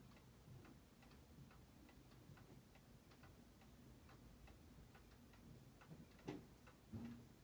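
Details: Seiko 7548-700F watch being regulated during restoration, reading about 5/100 of a second positive; faint, even ticks at a steady beat in a quiet room, with no stutter or missed steps. Normal watch tick.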